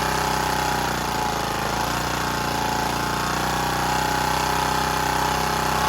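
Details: Generac CW15K gasoline water pump engine after refitting the fuel tank and starting it, oil suspected very low: steady, even chug with no misses or surging; normal running.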